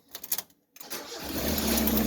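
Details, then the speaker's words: 1990 Mazda Miata that died on the highway and wouldn't start, after installing a new timing belt: a few quick cranking pulses, short pause, then catches and settles into smooth steady idle; normal start after repair. "Yeah! We're back in business!"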